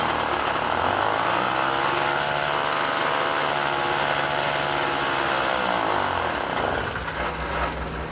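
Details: Puch Maxi moped, 50cc two-stroke, after O-ring sealed carb-to-intake air leak: steady buzz that dips near the end then settles to even idle; normal running.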